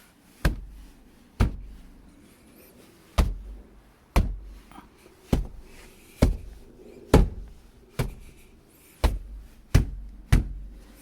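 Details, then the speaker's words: 2014 Jeep Grand Cherokee WK2 diesel, about 50,000 miles: passenger door panel struck, about eleven hollow thumps a second apart, each with a brief buzzy rattle; before sound deadening the door. "so obviously a lot less relatively but still pretty readily so driving down the highway road noise is actually pretty good it's just that that driver's door panel on some roads I just hear it just going and rattling the entire time"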